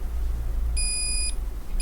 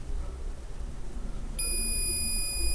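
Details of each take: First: Asus VivoBook X543M laptop that will not power on, motherboard continuity check with a multimeter: half-second beep then a short chirp as a rail reads 0000 to ground on both sides, a dead short. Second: Asus VivoBook X543M laptop that will not power on, cold scan of the motherboard with a multimeter: a steady continuity tone on the capacitor's ground side, as expected; the other, positive side has no short.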